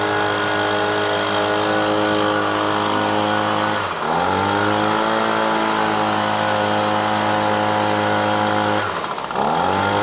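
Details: Echo PB-250LN handheld two-stroke gas blower that bogged on throttle-up, after fuel change and carburetor adjusting-screw tweak: high steady wail dips briefly twice then climbs cleanly back to full revs without bogging; normal throttle response.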